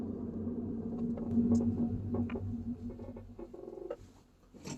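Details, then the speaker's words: Car braking on a test drive: short irregular creaks and faint squeaks over steady cabin drone as it slows; owner is pretty sure the noise comes from the right side. "Okay, I don't know if you can hear it correctly, but it sounds like a kind of creaking, squeaking noise. I can clearly hear it."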